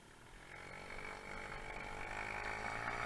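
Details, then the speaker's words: Honda Zoomer scooter on its first road test run after swingarm and final drive gear replacement, unridden since early October: smooth, even rising single-cylinder buzz, no knocks or rattles. Normal running. "it's nice and smooth so far so far so good feeling nice and smooth"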